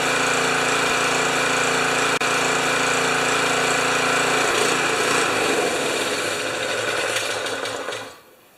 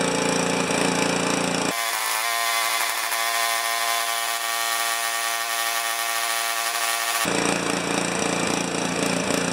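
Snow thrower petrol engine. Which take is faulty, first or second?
second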